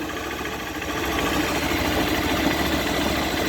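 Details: Idling single-cylinder motorcycle, normal at idle, gets louder, rattly and vibrating only when the clutch lever is pulled.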